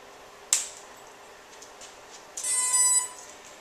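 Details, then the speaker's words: SwitchBlade multirotor at power-up on a level surface with the radio on first: sharp click, then a short bright run of electronic tones from the motors, the normal ESC initialization chime. "That noise is the motors initializing."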